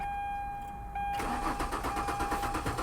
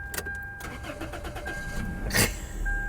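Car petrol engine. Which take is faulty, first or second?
first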